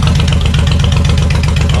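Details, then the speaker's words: Suzuki Intruder 1500 VL V-twin, sat for years, after carb cleaning and checking decompression valves, no choke at 80 °F: even loping idle on both cylinders, no misses, sounds healthy. "oh man she's ready to rip chip this bike is ready for a drive she is ready for a drive up the road oh it sounds beautiful sounds beautiful"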